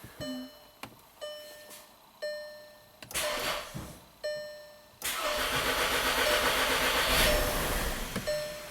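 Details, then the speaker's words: 2012 VW Tiguan turbo GDI, worsening misfires, P0087 fuel pressure low, jump battery: repeated short cranking bursts then loud rough run that stalls; crank-start-stall with fuel pressure only 10 bar versus 48 specified, fuel pump suspected. "It tries. Ooh. Let's try this again. So customer's right, it's a crank start stall."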